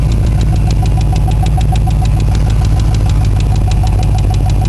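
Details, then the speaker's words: Engine warmed up on a cold day, just started after a long no-start: a steady, fast, regular tick over a loud, even run, heard on revving. The owner points to where it seems to come from, possibly resonating through the exhaust; cause not confirmed. "Yeah, you can hear it when it revs up. And it sounds like it's coming from right in here."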